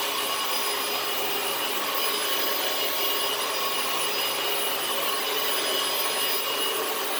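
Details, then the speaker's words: Dyson DC18 Slim All Floors vacuum, made December 2006: steady high airy roar with constant motor tone after the brushes were refitted and the reset button pressed; the brushroll spins again and it runs normally. "don't panic press the reset button it probably just needs to be reached and thankfully I was right so it works beautifully again"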